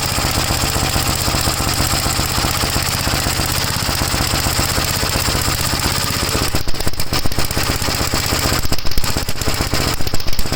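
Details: 1956 Gravely L single-cylinder on a cold start, hard to start, before head removal (carburetor ruled out by a swap): even chug for six seconds, then stumbling, uneven firing with sharp surges. Runs rough; cause undetermined.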